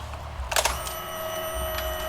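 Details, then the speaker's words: Honda Vario 150 LED (old) scooter after fitting a Cheetah Power TCI driver plus power-up module feeding 12V to fuel pump and injector: key-on click, then a steady, stronger and louder electric fuel pump hum while priming; sounds healthy, normal. "suara felpnya jadi lebih nenggung nih. Lebih keluar suaranya. Nah, berarti sudah normal, sudah masuk."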